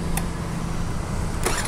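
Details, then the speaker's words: Honda Activa scooter after self-start relay problem was addressed: a couple of sharp clicks over a steady low engine hum as the electric self-start now works normally. "देखिए यह देखिए बिल्कुल से start हो रही है"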